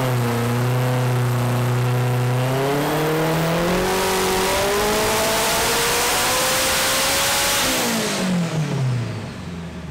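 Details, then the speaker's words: Turbo K24-swapped AWD Civic (forged bottom end, block guard, Garrett turbo, ECU Masters standalone) on hub dyno, pull back up to 675 under load: revs hard, then breaks up up top from rich misfire, too much fuel after fuel pressure change. "tops is actually just killing it with too much fuel and that's why you could hear it kind of breaking up up top"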